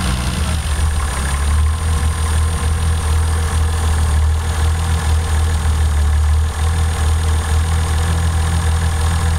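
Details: Toyota 7M-GTE engine checked with a Colortune spark plug: low, heavy idle with uneven, stumbling exhaust pulses. Misfire on cylinder 1 at idle.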